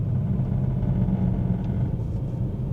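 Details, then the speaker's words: BMW E90 M3 V8, 6-speed manual, in gear coasting down near 2000 rpm: deep drone with a buzzy rattle and vibration; owner suspects an exhaust leak at the X-pipe, not confirmed. "So, what I've noticed with this exhaust leak is when you kind of let the idles when it's in gear and you let it kind of idle down or slow down around the 2K mark, you can hear that l uh rattle and vibration. So, that's kind of why I think it is the Xpipe."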